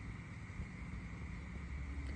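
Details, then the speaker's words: 1989 Camaro with 305 project car: faint steady high whine over low outdoor rumble, fuel pump running normally. "the fuel pump running."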